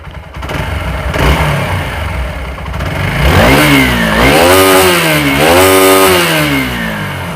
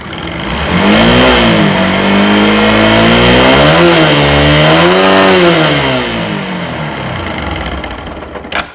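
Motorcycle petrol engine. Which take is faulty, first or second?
second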